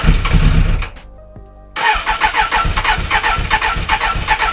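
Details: 1996 Suzuki Bandit GSF600S after sitting a week with low battery: starter churns at about four pulses a second without catching. Cranking no-start traced to dirty, lean, mis-jetted carbs and stale fuel.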